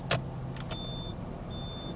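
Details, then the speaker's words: 2009 Jaguar XF 3-litre after fitting add-on beepers across both rear indicator lights to replace the failed cluster sounder; engine idling: two clear high beeps about three quarters of a second apart over quiet idle; indicator beeper works. "Yep, we've got beepers."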